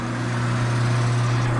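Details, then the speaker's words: Victor Precision heavy-duty lathe: after power off and e-stop, motor keeps humming and spinning with no spin-down; the forward-direction contactor sticks closed, possibly miswired at some point, and needs replacing. "turn the power off i'm gonna hit the e stop that motor is still spinning there should technically be no power going to this unit"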